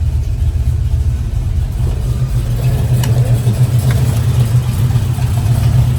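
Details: 1971 Chevrolet Nova, rebuilt 454 V8 bored .030 over, Edelbrock Performer intake and headers, 750 CFM carb, MSD, new dual exhaust, TH350; deep, steady, even idle with no knocks or misses; healthy, oil pressure good.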